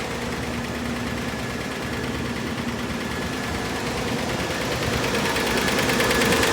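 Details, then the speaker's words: 1954 Chevrolet, engine running with rear wheels off the ground in gear while filling the transmission: faint steady whine rising slightly; transmission pump whining from low fluid, needs more fluid added. "fluid and look at that the wheels are turning and you can hear the pump winding so that means add some fluid"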